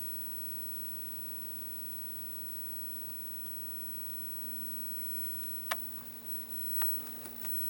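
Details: Electrohome G07-CBO color raster arcade monitor after adjusting the supply to 120 V: a quiet, steady electrical hum with sharp high-voltage static crackles and neck glow; the monitor is working normally.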